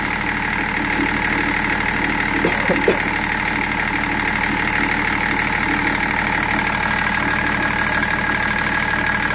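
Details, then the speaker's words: BMW 330d E46 diesel, 400,000 km, idling during coolant refill and bleeding; a slight noise is from a damp belt: even idle clatter with no surging, misses or shake, no tremor at all. "Pas de tremblement, rien."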